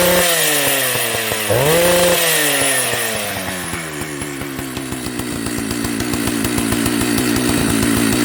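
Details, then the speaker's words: Old Jonsered 930 project chainsaw restarting: it fires, blips up, then settles into a steady buzzing idle on its own, so it runs. The bearing underneath is dry. "So, it runs."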